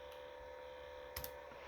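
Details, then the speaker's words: Acer Predator Helios 300 PH315-53 gaming laptop (i7-10750H, RTX 2060), about a year old, fans at lowest speed around 2200–2300 rpm at idle with nothing open: faint steady whir with thin constant tone from dust-laden cooling fans, one day after cleaning. "and i don't know if you can hear this one it's quite there to just clean it yesterday and now it's dusty now so anyways that's how it sounds at normal usage"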